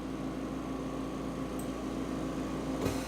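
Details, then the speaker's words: Home oxygen concentrator's top-unit fill compressor filling a canister, green filling light on: steady low hum with faint even tone, no knocks or rattles. Normal compressor running. "it's it's filling now here you can see now the green light has come on indicating that it is filling"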